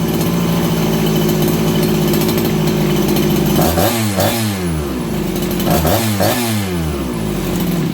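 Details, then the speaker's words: Farmertec 288XP kit chainsaw after ignition repair, cold around 5 °C, low jet richened from lean: steady idle, then two quick blips rising sharply and dropping straight back; crisper throttle and faster-settling idle. "You guys hear that? It's crisper on the throttle and it settles down the idle faster."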